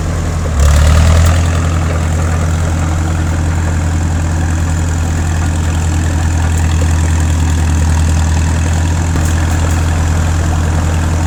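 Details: 1950s Caterpillar D4 diesel bulldozer, sat at least 20 years, started via pony motor after a severed fuel line was temporarily repaired: deep, even diesel rumble with no knocks or misses, a healthy idle.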